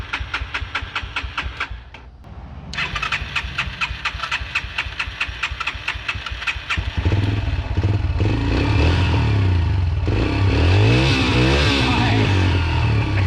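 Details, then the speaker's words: Yamaha TT-R125 after about 10 years sitting, cold engine, choke question: quick ticking crank catches into uneven, blipped running; won't settle to a steady idle without throttle until warm, smoking heavily. "Warm it up and see if it'll hold an idle. Is the choke cold? It's not gonna hold an idle."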